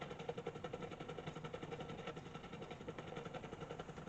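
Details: 1947 Invicta 200 superhet valve radio: a quiet, regular putt-putt pulsing about four a second under a faint hum in the speaker, suggesting low-frequency motorboating; the cause is suspected, not confirmed.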